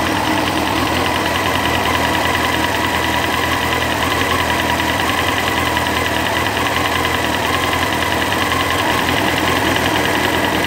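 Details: Honda CBR954RR motorcycle engine at idle with an irregular light knocking and a faint whine over the steady run: an abnormal engine noise.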